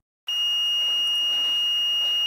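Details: EGO LM2130SP lawn mower, multimeter in continuity mode between the brown wire and the battery connector's middle blade: after silence, a steady high-pitched beep shows the wire is continuous. Per the procedure, a beep means replace the main PCBA.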